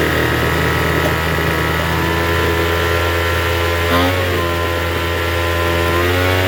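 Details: Troy-Bilt TB272V two-stroke leaf blower after turning the single-D half-moon carburetor mixture screw out about one and a half turns: steady fast elevated idle buzz with a brief blip midway; runs but idles a little high.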